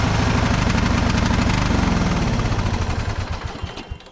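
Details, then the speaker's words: Cheap Craftsman riding mower with no throttle response and a rat's nest: choked, lumpy chugging at about three pulses a second that never revs up and fades out; clogged muffler. "I wonder if the muffler's plugged. It's having a hard time revving up. I bet you the muffler's plugged."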